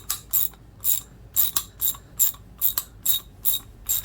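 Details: Older Master Mechanic T1260 3/8 in round-head twin-pawl ratchet, tightening: sharp bright clicks two to three a second, some doubled; teeth worn on one side, the pawl catching on worn teeth, the ratchet near the end of its life.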